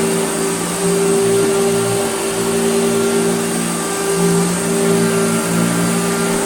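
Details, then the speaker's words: Hoover Dirtsearcher Junior vacuum after restoration, previously vibrating badly from a bent armature, now fitted with a new pattern-part armature: smooth even motor hum and steady whine, no rattle; runs normally. "that turned out to be the whole armature the whole embouchure was bent so this is have a brand new it's a pattern part but a brand new armature listen to it now"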